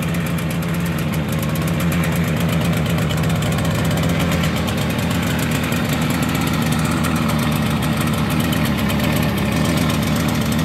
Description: 1971 Yamaha CS3 2 cylinder 2 stroke first start up in decades. Needs to be dialed in